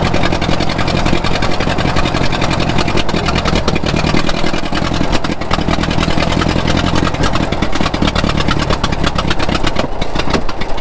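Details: 1934 Allis Chalmers Model M crawler, 300 cubic inch four-cylinder, 85 years old, long unused; loud open even chuffing, steady firing rhythm, no knocks or misses; runs pretty good without muffler, only the right track clutch apparently not releasing.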